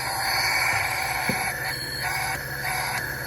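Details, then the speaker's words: Toyota Tundra engine leak-down test on cylinder five: steady airy hiss with engine off, big pressure loss, air clearly escaping past the intake valves, which are not sealing. "again we have pressure and we have a big loss and we can clearly hear it coming out of the valves out of the intake valves here"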